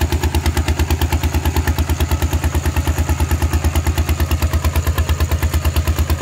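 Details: Thai single-cylinder diesel tractor with iron wheels ploughing a rice paddy, fitted with a trial replacement exhaust pipe; very loud, sharp unmuffled exhaust bark about three pulses a second, steady under ploughing load: loud open exhaust.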